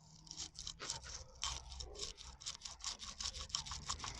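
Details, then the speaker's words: Audi outer CV joint, run without grease for some time after its boot tore, rocked by hand at the mic. Gritty, sandpaper-like scraping bursts suggest possibly damaged ball bearings in a dry, worn joint, which is being replaced. "So it sounds like they're sanding it. I'm not surprised at all. So yeah, so I can just imagine that these ball bearings and maybe they did get a little bit damaged over time and everything."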